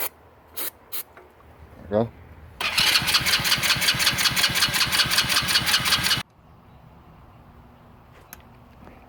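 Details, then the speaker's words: Hammerhead 110cc Chinese go-kart that sat nearly a year, after spark plug cleaning and clearing a possible flood: starter whirs in an even fast chatter for about three and a half seconds but it never fires; spark present, carburetor to be cleaned. "So we've tried to start it a couple times. It sat for a few months, so that's, yeah, just loosen, that's fine. So we're going to pull off the carburetor. It would not run."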